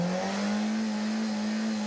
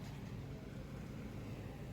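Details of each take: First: 2010 FAW V2 after spark plug replacement for a P0300/P0302/P0304 misfire: the engine revs up smoothly to a steady, even drone with no stumble. It now runs clean on all cylinders, though weak piston rings are suspected. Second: 2010 FAW V2 car at idle with check engine light and codes P0300, P0302, P0304: a low, lumpy rumble, about four uneven pulses a second that keep stumbling.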